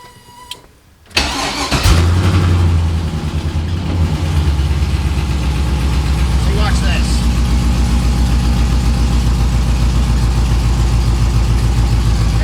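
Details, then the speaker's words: 6.0L LS-swapped Chevy S10 after cam position sensor low/high codes, with fuel system clogged by rust from the gas tank: uneven, lumpy loping idle like one cylinder not pulling; owner fears internal engine damage, cause unconfirmed. "so i mean i guess they're they're firing and they're working but man what is that it has a weird noise i'm hoping i didn't mess up anything inside the engine"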